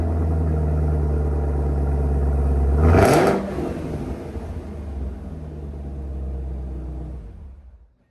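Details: 2018 Camaro ZL1 supercharged V8 before cam and Katech oil pump swap: settles into a smooth even idle, one quick rev sweeping up and back, then steady again; sounds healthy.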